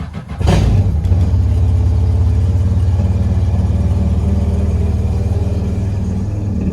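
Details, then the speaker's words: Yamaha FX SHO jet ski with the seat on, just after an intercooler install. The sound is a muffled, even low drone with a quick rev that settles smoothly. It is pretty quiet and running healthy. "Now we'll do a little clip with the seat on. So a little bit muffled sound. We'll see what it's like."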